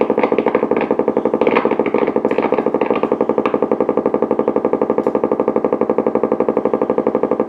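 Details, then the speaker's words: Blaupunkt Florenz radio with broken dial strings; amplifier, bass and treble work. On the AM band there is a steady putt-putt pulsing about four times a second: severe motorboating. "But when we go into AM, there's our nasty motorboating again."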